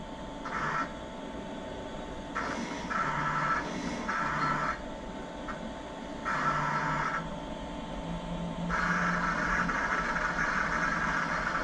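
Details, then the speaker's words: Roland BN-20 printer/cutter cutting a printed vinyl sticker: short bursts of motor whine that start and stop as the carriage moves, over a steady room hum. Cutter working normally. "And there we go. It's cutting them out. Everything looks good so far."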